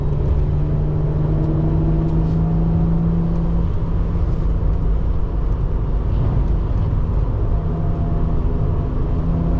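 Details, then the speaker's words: FG Ford Falcon XR6 Turbo after ANTZ turbo-side intake and battery relocation install, intake muffler and piping removed: strong even drone with smooth induction rush, no knocks or rattles; healthy turbo six revving freely. "It should sound very dosey because you're going to get so much more air intake sound because we've taken that massive muffler out and all that piping out."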